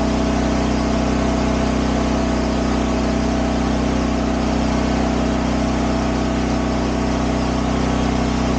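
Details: Champion dual-fuel 8000 W generator (model 201035) running on propane; steady, even drone at constant speed with no hunting, knocks or misses; normal running.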